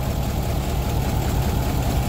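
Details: Car with random misfire codes: low, uneven, lumpy idle with no clean rhythm; block test fluid in the coolant tank turned green at once, combustion pressure entering coolant, a blown head gasket.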